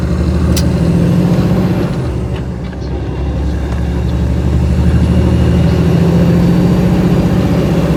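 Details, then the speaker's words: 2010 Kenworth T800 with about 1.3–1.4 million on it and a life of heavy work, hauling a 10-wide tilt float with a drill rig; heavy steady diesel drone with a deep rough transmission growl under load, rising and easing with road speed. "Yeah, you'll hear a lot of transmission growl coming out of it. The truck's got 1.3 on it, damn near 1.4 million, so near as I can tell, it's done lots of heavy work all its life, so."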